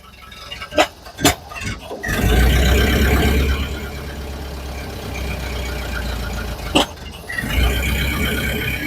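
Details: 1931 Ford Model A roadster, fully restored from a dismantled project: a few clunks, then the engine catches and settles into a steady, even low idle with no knocking. Normal start and idle.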